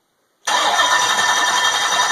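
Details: LT1 V8, water pump off, running on cold fuel vapors with ignition moved from the Optispark to a Delteq distributorless coil pack: catches instantly from silence and settles into a steady, even idle with no misfire or stumble.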